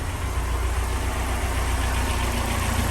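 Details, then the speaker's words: Ford Sierra Cosworth 2WD on its second start-up, warmed up with oil round and hydraulic lifters pumped up: steady, even idle with a smooth low rumble and no tapping or hunting; it idles really well. "idols real well paddle control bars working well"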